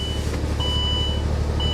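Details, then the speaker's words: C4 Corvette at a salvage yard, jump-started, apparently sat a while: the idle has an uneven, lumpy low pulse with dropped beats under a steady beeping chime, a bad misfire. "Misfire bad. Yeah, she's misfiring pretty bad, guys."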